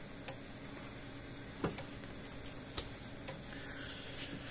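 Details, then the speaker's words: Stafix M20R (same as Speedrite 2000R) electric fence energizer after repair, lid closed: sharp dry ticks about once a second over quiet background, output about 9,000 volts; normal pulsing. "There we go, that sounds a lot healthier."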